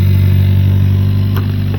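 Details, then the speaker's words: 2019 Hyundai Elantra GT with 1.6 turbo, P0300 plus cylinder 2 and 4 misfire codes that occurred under load. At idle it gives a smooth, unbroken low hum with no skips, stumbles, misfire or rattle; the engine sounds good. "Right now the engine's sounding good. It's don't hear any misfiring going on. The engine's not rattling."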